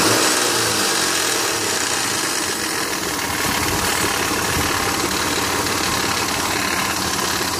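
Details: 2001 Mitsubishi Montero Sport 3.0L 4WD automatic, 225,000 miles, cold start idle recorded from engine bay: loose uneven clatter with bright rattle, gone after warm-up; slack timing belt slapping, tensioner pulley left disconnected after water pump job.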